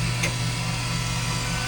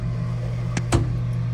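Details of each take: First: Vintage analog photobooth, just off a truck, during a test-button development sequence: bill acceptor motor whirs steadily over a low hum, cutting off sharply after about two seconds; normal bill acceptor operation. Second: Vintage analog photobooth, freshly unloaded and not yet aligned: steady motor hum then sharp double clunk as the arm drops into its sleeve; transmission misaligned, needs its three bolts adjusted for height and vertical so it enters silently.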